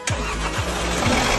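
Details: Mercedes-Benz M270 engine, misfiring traced to broken valve springs, started after cylinder-head repair and reinstallation: engine catches quickly and settles into an even, steady idle with no stumble or shake; normal clean start.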